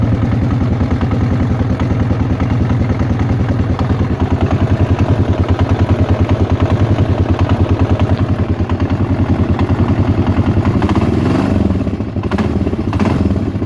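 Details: Yamaha XT 600 E / TT 600 E single-cylinder idling steadily with a regular clattering tick of about three per second on each firing beat; abnormal engine noise, source unknown, owner asking where it comes from.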